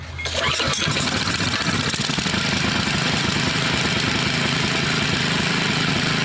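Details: Mastercraft (Lawn Chief) rototiller, old 5 hp Briggs OHV engine, after stuck-valve and surging-carb repair and fuel line leak check; started on full choke, not yet warmed up: starts on the pull and holds a steady, even run with no surging or hunting, healthy.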